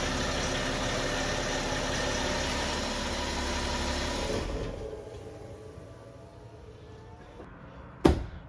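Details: 2009 BMW X5 35d, M57 3.0L twin-turbo diesel, after replacing parts and bleeding the fuel system following a highway breakdown: even steady low rumble about four seconds, no misses or stumbles; normal idle.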